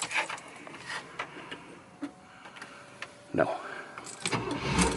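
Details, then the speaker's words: 1978 Cadillac Eldorado Biarritz with 85,000 original miles, starting up from the driver's seat: a few quiet clicks, then the engine catches with a sudden roar and settles into an even run; it starts cleanly. "Look at that, man. Fire right up."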